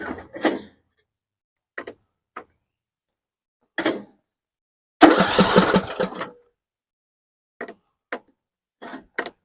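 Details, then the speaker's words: 6-year-old John Deere 100 series lawn tractor, little gas in the tank, choke on: short cranking bursts with pauses, never catching; no start. "all right all right turns over I don't even know if we got gas yeah you have no gas iner so take care of that"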